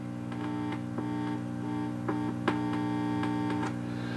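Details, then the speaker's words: Early-1970s Lafayette/Univox U65RN solid-state amp, which also lacks gain: a steady low mains-type hum with scratchy crackles only when the tone control is touched. The owner suspects a short inside the tone pot, but this is unconfirmed. "I don't know if there if there's a maybe a select short inside of this pot or if there's something somehow I don't I don't know"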